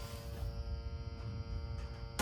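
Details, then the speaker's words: Super Late Model asphalt race car, 362 dry sump engine, ignition switch on with gauges on and engine off: steady low electrical buzz; owner unsure why, suspects low-oil warning, wiring being sorted out. "Now, I'm getting a buzzing sound. I know, I don't think I should, unless it's the low oil thing."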